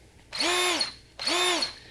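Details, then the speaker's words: New RIDGID SubCompact drill/driver motor spun up unloaded in two short runs: steady whine with a thin high squeal on top; sounds like a bearing or something wrong, cause unknown. "eak noise though you hear that it almost sounds like a bearing or something's wrong"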